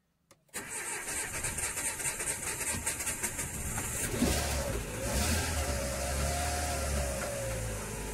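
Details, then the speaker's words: Renault Scenic 1.6 after cylinder head, timing belt and water pump work, with an empty fuel rail: the starter churns evenly for several seconds without firing; hydraulic lifters suspected, timing rechecked OK, and it later started. "see if you have a car that doesn't start and you've just done a load of work on the cylinder head if it's got hydraulic lifters crank it it still doesn't start it's so stressful"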